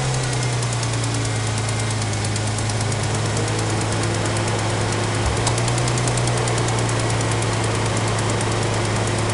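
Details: 2004 Mustang 3.9L V6 on cold start-up: quick, light ticking at idle that carries through a brief rev and lasts about 30 seconds before going away; persists after tightening exhaust manifold bolts; cause unknown.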